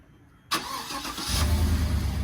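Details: 2015+ GM truck (Tahoe/Suburban/Yukon/Silverado/Sierra class) remote-started by key fob after reprogramming: quiet, brief crank catching at once, settling into steady low idle; starts cleanly.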